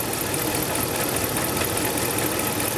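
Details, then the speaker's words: 2010 Dodge Ram 1500 5.7L Hemi at idle: steady idle with gritty crunching at the front of the engine; water pump pulley rocks back and forth, bearing suspected; crunching noise at idle, water pump to be replaced. "she's developed a bit of a grow and pretty sure it's the water pump doing it I don't know if you can hear that kind of crunchy"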